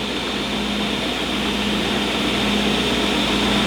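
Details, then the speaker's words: Diehl SL-52 straight line rip saw, 15 hp main motor, 2 hp feed, feed turned from 165 down to about 70 ft/min: even steady hum of constant high tone, no knocks, rubbing or wavering; running healthy. "Right now it is set up to run 165 feet per minute. Turn it down to just about 70 feet per"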